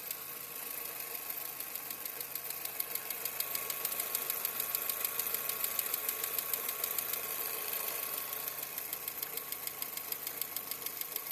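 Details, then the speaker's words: Skoda Fabia 1.4 MPI: sharp, even ticking at about 200 per minute under the valve cover, only once fully warm (cold start quiet); owner suspects hydraulic lifter, valve or stretched timing chain, unconfirmed. "Таке враження, що стукає або гідрокомпенсатор, або клапан. Можливо, це розтягнутий цеп ГРМ, поки що не знаю. Отак воно стукає, коли нагріється."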